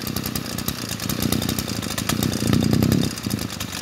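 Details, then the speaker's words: G2K two-stroke brush cutter idling steadily with no surging or dying; normal idle. The light, even rattle is the clutch, which chatters when revs are too low to engage. "Các bác thấy không? Máy em ru nha. Em ru à."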